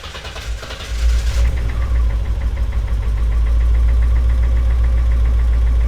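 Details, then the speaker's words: BMW E30 325i forest find, not run in years, first start after rebuilding the dirty fuel injectors; engine catches and settles into a steady deep even idle with no misfire, smoky smelly exhaust; running normally. "alive she is a live you gotta be kidding me look at that what's coming out the back i don't even know what's coming out the back a beautiful sound"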